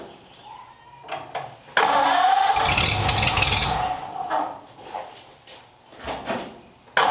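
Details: 1929 Ford Roadster Pickup, formerly straight-piped, after a new full exhaust with small glass-pack mufflers running out the back: cranks and catches quickly, then a muted, even burble with no popping or rasp, mellow and much quieter than before; normal idle.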